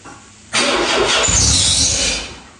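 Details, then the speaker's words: 1984 Chrysler 600 ES Turbo that sat over 20 years: it cranks, catches with a sharp roar on starting fluid for about 1.5 seconds, then dies. No fuel reaches the fuel rail, and the owner suspects a pickup issue at the pump. "Well, that fired off for that starting fluid. Now I'm going to start with maybe residual. All right. So, we're not getting any fuel up here at the fuel rail."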